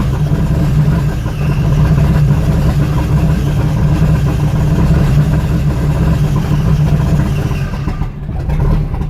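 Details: 1992/93 Jeep Cherokee with no engine codes, MAP sensor just replaced and throttle body swapped, throttle kills engine: low, uneven, lumpy idle wavering and dipping, sagging near end; rough idle.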